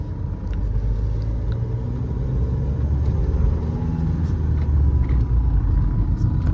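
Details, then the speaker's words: Mahindra XUV500 with the 1.99-litre engine, manual clutch; a low, even rumble while driving with no jerks, surging, knocks or vibration, running smoothly. "कोई झटका कोई vibration कुछ full हो रही है भाई इस गाड़ी के अंदर"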